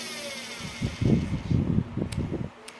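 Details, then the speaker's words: Washing machine universal motor bench-tested on a 12V DC battery, because the machine won't rotate at low speed (board or motor in doubt): a low, soft, unevenly pulsing hum while turning at low speed, normal running. "You can see it, it's clockwise rotation at low speed."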